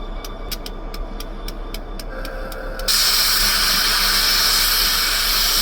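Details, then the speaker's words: ELS 400 locomotive sitting on a wye while crew adds water, ~20 minutes: quiet ticking, then a loud sustained hiss recurring about every 30 seconds; source unidentified; 400 later found dead, noise attributed to ELS 502. "Strange noises coming over there. The Mo crew is currently putting water in 400. Been sitting here now for about 20 minutes or so like this."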